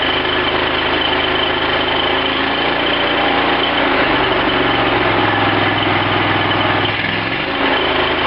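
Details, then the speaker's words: Cub Cadet lawn tractor after carburetor rebuild, fuel shutoff opened and float bowl filled: steady, even engine drone shifting pitch as throttle settles, no knocks, misses or surging; normal running. "I turned that on give it a another shot of gas just to let the engine run faster run the fuel pump faster fill the bowl and now fires right off"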